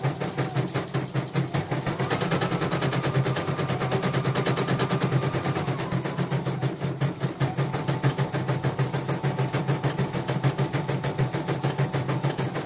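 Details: Portable embroidery machine shipped from Sekayu, South Sumatra with complaints of no embroidering, blank screen, hoop not positioning and dead touchscreen; test stitch after mainboard, LCD and touchscreen work: rapid even needle strokes at steady pace with faint motor hum; normal stitching.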